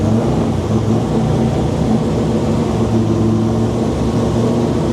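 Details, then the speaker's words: Freshly built Corolla engine, dry sump, first run without supercharger or front end: loud even drone at steady pitch, no knocks or misses; engine healthy, dry sump working. "As you saw last night, we started it with no supercharger and no front end just to make sure the engine was healthy and the dry sump was working how it should be."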